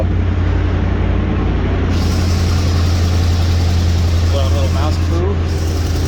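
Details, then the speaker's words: 1987 Chevy K20 Suburban, sat in weeds 11 years, first start on a jumped cable: steady, even low idle with smooth unbroken rumble, no knocks or misses; running cleanly. "okay let's see of course can't do it okay sounds good there it goes"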